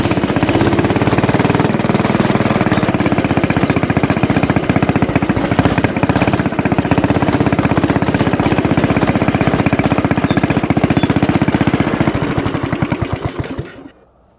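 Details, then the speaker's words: Axis/Coleman M200 mini bike, 196cc single, 22mm Mikuni carb, aftermarket exhaust, governor delete, riding with a 110 jet: fast, somewhat uneven thumping, then it suddenly drops away, still cutting out at the very top end; owner wonders if it is starving for fuel and plans to raise the needle. "All right, the 110 jet feels good, but honestly it still seems like it's cutting out a little bit at the very top end. I don't know if it's starving for fuel,"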